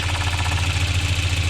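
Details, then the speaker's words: 1993 Volvo 940 B230F after timing belt, tensioner, water pump seals and new timing covers: smooth, even idle, steady low rumble; belt rubbing on tweaked cover gone once cover pulled in, normal idle. "yeah totally gone now that's the way it's supposed to sound"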